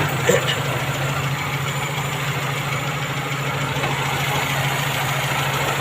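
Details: Owner-type Jeep with 4K engine that would not start on its ignition switch, after replacing the contact-point distributor with an electronic one and setting timing to 8° BTDC with a timing light; steady, even low thrum with no misses or knocks, normal idle.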